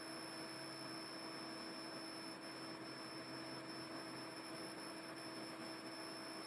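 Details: Fat-model PS3 console: a steady high-pitched whine holds constant pitch over the fan hiss throughout; the source of the whine is unknown.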